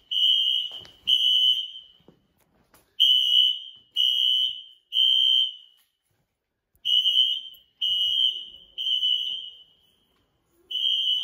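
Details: Apartment building fire alarm: shrill high tone in roughly one-second blasts grouped in threes with pauses, sounding for about 5 minutes; tripped by a pull station on the first floor.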